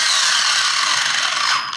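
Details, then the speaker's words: Viper ESC after throttle and brake calibration on an RC car: brief bright whirring buzz of motor and gears spinning up smoothly then easing off; throttle response normal. "now if everything was done right you should now have gas"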